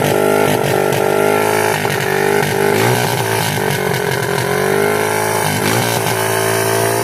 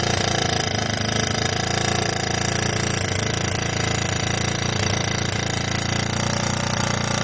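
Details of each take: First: 1986 Yamaha YFM Moto4 200 ATV single-cylinder, after carburetor work: revs surge and sag unevenly instead of holding steady; the very rusty throttle cable is sticking and needs replacing. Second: 1986 Yamaha YFM Moto4 200 single-cylinder ATV running after carb work (mixture screw reset, carb swapped): steady, even beat with no weird rattling or knock over the exhaust drone; normal running.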